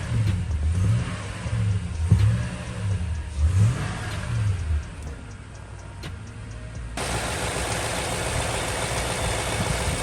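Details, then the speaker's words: 2012 Toyota Tundra V8 after new water pump, thermostat and valve cover gaskets, during coolant bleeding and warming to operating temperature: light throttle blips, then a quiet, smooth normal idle. "Up engine is idling so quiet now guys oh my when I'm finished I'm just going to put on about the engine cover and all that so smooth smooth"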